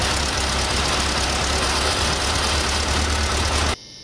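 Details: VW Beetle air-cooled engine after advancing the distributor from about 24° static to 32° timing: steady, even idle with a smooth low pulse and no misses or knocks; running cleanly with timing correct.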